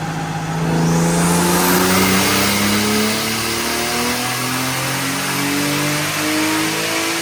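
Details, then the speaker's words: Drift Nissan R34 first dyno pull on E85 at 14 psi with added timing up top; clean, steady full-load climb in pitch with no misses, stutter or knock, pulling strong and healthy. "All right, so as a first pull with the 85, picked up quite a bit because we put some timing up top. Healthy on the 85."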